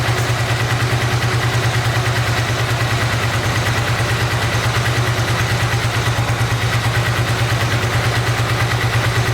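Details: 1986 Honda VT500 Shadow V-twin, revived after years of sitting, warming at idle: steady lopsided, hollow chuff about three beats a second, firing on the front cylinder only with the rear dead; owner suspects a mouse-chewed ignition coil wire.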